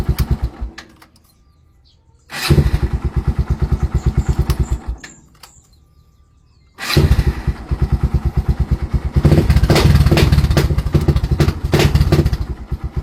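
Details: Barako II 175: two bursts of steady cranking chug at about three beats a second that stop without the engine catching. Hard starting; the cause is suspected, not confirmed.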